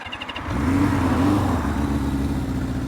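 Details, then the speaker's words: 1978 Honda CB550K on first ride in months: uneven, lumpy four-cylinder note surging and sagging under load, stumbling and losing power as if running out of gas; rider suspects fuel issue, trash in fuel. "let's spin around and not uh I'm not running really good that's definitely a fuel issue"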